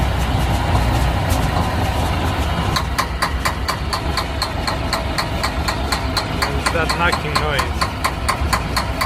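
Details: Semi truck diesel cranking steadily at about two beats per second but never firing; cranks and won't start.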